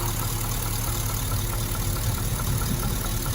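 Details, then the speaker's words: Holden Calais L98 LS V8 at 450 RPM idle, listened to at a rocker bolt: light sharp knock about four times a second, matching one cylinder's firing rate, pointing to one lifter: lifter knock. "Okay. So, what do we know about this knock? Well, firstly, we know that at 450 RPM, the knock happens roughly about four times every second."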